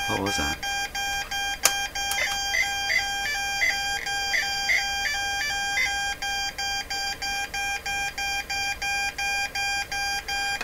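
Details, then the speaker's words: Morse Writer keyboard for ham radio, on power-up: short identical beeps about twice a second, the letter E sent over and over; a stuck E key is suspected, one key is bent. "okay so so far the the morse code message has been the letter e over and over and over and over e e e is the E button stuck any buttons stuck this one's bent a bit"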